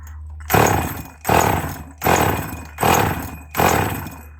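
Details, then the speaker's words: Husqvarna 40/444SE chainsaw, untouched spares-or-repairs saw leaking fuel, possible bearing issue noted: surges in five even bursts about a second apart, coughing and stumbling, fuel spitting from the exhaust, badly flooded; rough running, coughing. "Seems to be coughing fuel out the exhaust. Don't know if this one's actually going to go. Oh, yeah. That's really flooded, that is."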